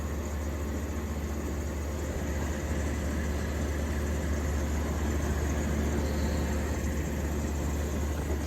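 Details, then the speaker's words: 1953 Fedders Weather Bureau window air conditioner with a Tecumseh S-series compressor, after electrical upgrade and service with new fan motor mounts. Evaporator is even temperature. Steady low hum with a soft whir, no rattles or knocks. Normal running. "The evaporator is very even temp throughout. And she's quiet, very much so."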